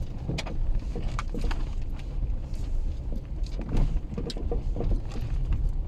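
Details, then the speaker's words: VW Polo driving over bumps: dull, irregular clunks through the low road rumble, the typical knock of worn anti-roll bar (stabilizer) links. Replacing the links eliminated the knock. "вот этот стук будет характерный особенностью поэтому Не ездите по сервисам а сразу Идите и меняете свои стойки"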